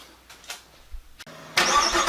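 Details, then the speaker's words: 2017 50th anniversary 6th-gen LT1 Camaro with Procharger, cold start right after a spark plug change: catches at once into an even roar with no stumble. Before the change it was sputtering and shaking; idle now calmed down, a normal cold start. "start that sounds so much better believe it or not before i mean it was just sputtering and shaking we got idols already calmed down right where it needs to be"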